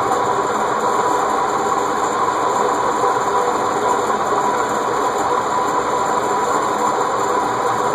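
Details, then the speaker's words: Circa-1991 cast-iron Heat Recovery Systems L-356 industrial ceiling fan, previously locked up and freed with WD-40, on high drawing 1.35 A: constant rough whirring hiss, no knocks or ticks; bearings still noisy, dry and worn. "it doesn't sound like that noise is going anywhere okay let's let it spin down now it has been pretty thoroughly wd-40 so the fact that the bearings are still noisy is saying something"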